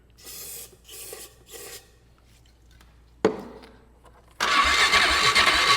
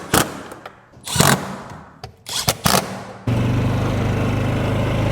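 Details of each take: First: 2008 Polaris Ranger 500 UTV after sitting: several cranking bursts, then it catches and runs loud and uneven, and doesn't sound good. Owner suspects bad fuel or a bad fuel pump, unconfirmed; the fuel doesn't smell too bad. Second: 2008 Polaris Ranger 500 UTV after being driven to clear it out; it still needs rear axles and bushings. A few clunks and knocks, then a steady, even engine drone with no misses and no smoke. Running normally.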